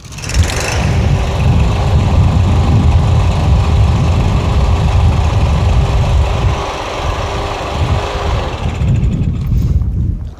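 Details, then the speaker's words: MTD Yard Machines push mower, Briggs 550EX Ready Start auto choke, after carburetor cleaning fixed surging and rough running; steady even drone with no misfire or surging, running healthy. "Sounds pretty good."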